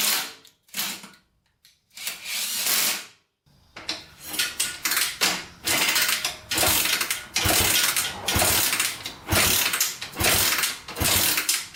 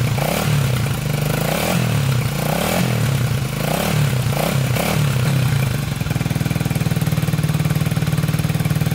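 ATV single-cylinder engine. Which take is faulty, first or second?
first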